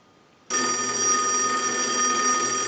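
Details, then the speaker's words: Single-slot payphone at final checkout after repair and conversion; ring cycles are sent from a line analyzer. Sudden bright, sustained metallic ringing, even and unbroken through the burst. Bell rings normally. "Now what we want to do is we can use the analyzer and we can send a ring cycle, so we'll start that. We'll let that go a few times."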